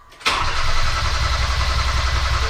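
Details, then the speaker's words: 2015 Hyundai Veloster just after a braided fuel line install: the engine catches and settles into a rough, uneven idle, then dies. Fuel delivery is suspected; the cause is not pinned down. "no it died"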